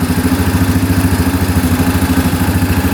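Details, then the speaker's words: 2009 Yamaha Grizzly 550 EFI ATV, bought as non-starter, overfilled oil noted, engine light off: even, quick putter with no misses or stumbles, no smoke; normal idle. "We're going to let this run for a little bit. See if that engine light turns on before we put everything back together here. So far so good. No smoke at all."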